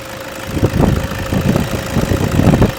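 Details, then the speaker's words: 2008 Toyota Vigo 2.5 E diesel pickup at idle: typical even, low diesel clatter with no missing, shaking or smoke. Healthy normal idle. "เสียงเครื่องดังเดินปกติไม่มีสั่นคอใดๆไม่มีสั่นเบาเดินรอบเบาไม่มีนี่เครื่องเสียงดังปกติครับ"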